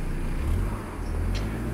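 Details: Proton Wira 4G15/4G13 engine, cold start after tightening the loose air-conditioning compressor belt; low even idle rumble with no chirping or squeaking: normal idle.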